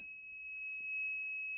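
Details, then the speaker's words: Power inverter in a 1982 Chevy Van motorhome, hooked to a battery: shrill, steady high beep sounds right after switch-on; cause unclear, it later worked after reconnecting all connections. "got the Beeper why is it beeping try it again"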